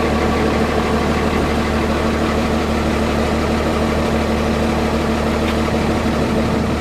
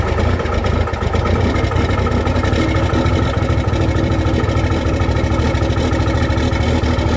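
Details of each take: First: Cummins diesel truck (first-gen-style intake grid heater) cold-started with block heater plugged in and grid heaters unplugged, same temperature as prior test; settles straight into steady, even idle clatter, no stumbling, a little smoke; normal cold start. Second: Cummins diesel cold start in freezing weather with grid heaters disconnected, camera at rear of truck: loud, loping, uneven idle with shaky firing, engine clearly not happy; cold start rough idle.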